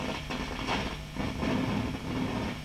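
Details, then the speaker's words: Marshall JTM45 MkII model 2245 valve amp on the bench: irregular crackling and popping over a low grumble in bursts, triggered by moving the valve in its base; dry solder joint at the valve base. "oh and it's grumbling away again as well which i like hear all that racket"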